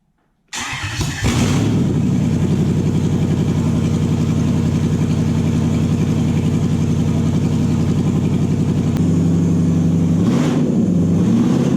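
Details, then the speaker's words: Toyota 1UZ-FE non-VVTi V8 (UCF20), manual, JDM ECU on stock loom with plug-in relay setup, first start: quick crank, settles to steady even idle with small dip; idle differs slightly, not yet heat-cycled. "hmm it runs that's good news Yad was a little bit different again I'm not too worried about idols different till the engines been through a couple of heat cycles"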